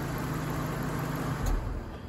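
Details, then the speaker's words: Infiniti M45 with the engine idling: cooling fans roar at full speed straight from startup and stay on high though the temperature gauge looks okay; the fan control module has failed. "ust trying to clap the clutch on but these are still running at full speed"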